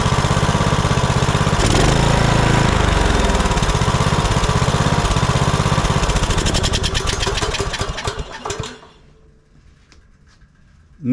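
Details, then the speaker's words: Troy-Bilt Bronco 42-inch riding mower, Kohler Courage 19 single-cylinder, new carburetor installed without adjustment: steady even running about eight seconds, no surging or hunting, clean shutoff; previously surged and died off choke. "adjustment Straight Out of the Box runs just beautifully"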